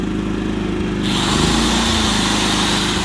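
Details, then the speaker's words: Propane-fuelled generator in economy mode as a connected power drill is run; steady drone, then drill whine cuts in and the engine picks up speed to make extra power. Normal economy-mode rev-up under load. "hear it, the generator kicked in to make some extra power. Now, if I don't have it on economy mode, then you don't even notice the use of the drill."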